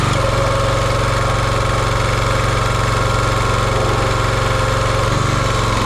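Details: Champion 27-ton log splitter, 224cc single-cylinder engine, stored outside, running while checking a hydraulic hose fitting leak: steady, even chug at one speed with no knocks, misses or surging; engine running smoothly.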